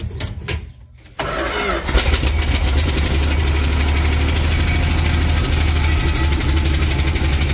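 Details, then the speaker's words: 1967–70 Dodge A108 van, 318 V8, three-on-the-tree manual: engine catches to a fast, rough idle with steady metallic clatter about four a second from a loose exhaust hanger, not the engine. "That banging, don't worry about the banging. It's actually just the hanger for the exhaust on the other side. It's loose and it's clanking around on there. That's not the engine making noise."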